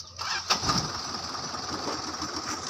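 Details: Car that drove fine but then wouldn't start after parking, with the battery terminals being checked: a short crank catches cleanly and settles into an even, steady idle with no misses or knocks. A normal start.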